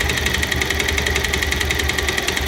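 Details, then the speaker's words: Idling motorcycle, camera close to the engine: sharp, heavy, evenly spaced tak-tak taps about ten a second over the idle, loud; identified as connecting rod knock. "ট্যাক ট্যাক ট্যাক ট্যাক ট্যাক করতেছে। দর্শক, এটি হচ্ছে connecting রডের sound."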